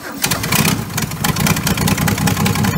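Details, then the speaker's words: Barn-fresh VC Valiant ute firing up after an ignition switch problem was suspected: a rough, uneven run with loud, sharp chuffing at each exhaust pulse from a big crack in the exhaust manifold; exhaust manifold leak. "It's got a big manifold leak. Yeah. Oh, it's got a big crack in it."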